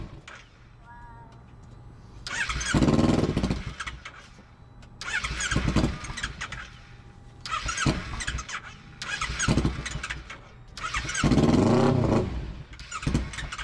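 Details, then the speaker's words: Motorcycle unused about eight months after a crash and not winterized, battery charged and lights work: starter repeatedly spins it into a brief rough burst about every three seconds, then it dies; starts then dies, cause unknown. "It's staying on like the lights are staying on, but it's not staying on like when you hit the starter or something."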